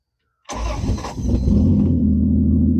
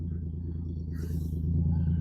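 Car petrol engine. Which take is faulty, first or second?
second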